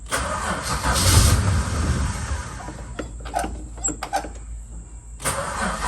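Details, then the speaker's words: Holden VH Charger, first start after starter repair: cranks, catches and roars, then stumbles unevenly with irregular pops. Rough running; owner suspects carb issues, unconfirmed. "come on all right well at least you know it runs and we've got some issues to look at with the cubby and also some issues to look at with"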